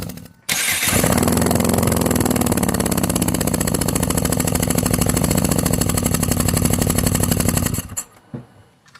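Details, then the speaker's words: Dodge Caliber with P0300/P0301 misfire codes, cylinders 1 and 4 misfiring, compression test 115, 175, 165, 145 psi with 1 and 4 below minimum: starter cranks at an uneven lopsided four beats a second. "These two right here are really low. Actually, all of them are way below, but the 1 and 4 are below minimum. So that's not good at all."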